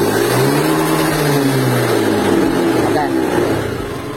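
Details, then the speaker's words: 2017 Honda Beat scooter after repair of sputtering and power loss; clean engine note climbing smoothly on throttle and easing off without stumbling or popping; normal acceleration. "jadi Alhamdulillah Ini motor udah normal jadi langsung jadi enak tarikannya dia dapat ketika kita gas spontan juga dia bersih"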